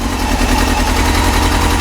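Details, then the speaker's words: Yamaha YZF-R6 four-cylinder after new ignition coils, warming up, partially choked: fast busy idle that hunts rather than holding one speed, randomly jumping; erratic idle surging. "randomly having a jump in idle speed. And I've got it partially choked."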